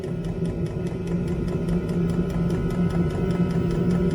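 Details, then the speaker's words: Chinese diesel air heater on a sailboat, first test run of a provisional install: a steady fan hum with quick, regular ticking from the fuel pump and a smell of fuel. Air comes out cold, then starts heating. Running properly. "It's pumping. You can smell it. So it seems to be working."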